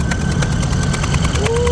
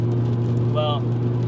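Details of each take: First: Toyota Matrix XRS (E130, 2ZZ-GE): lumpy uneven idle with rhythmic puffing and chuffing about three times a second; misfire with compression leak after an over-tightened cylinder 1 spark plug blew out, taking the coil pack; fixed by thread extraction and new coil pack. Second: Toyota E130 Matrix XRS (2ZZ-GE) idling smooth and steady with even beat, no misses or knocks, after repairing cylinder 1 spark plug threads blown out by overtightening, new OEM Denso coil pack fitted, fresh oil and filter; normal running.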